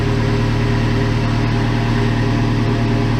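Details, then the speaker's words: 1987 Toyota Pickup turbo with 22R-TE engine, cold start warm-up: even, slightly raised idle hum around 1000 rpm with steady low beat and no misses, a normal fast idle that usually slows as it warms. "so right now it's right right about a grand and it usually slows slows do"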